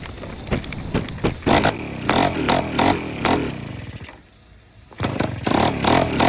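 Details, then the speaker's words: Honda Express 2 scooter, 60cc big bore two-stroke, high-flow intake and performance exhaust, before tuning; owner suspects running out of fuel, plans a bigger main jet: ragged cranking bursts that catch and die, then it fires and runs crackly; hard to start. "So as you can see, it's kind of hard to start, and once it does start, it sounds pretty awesome."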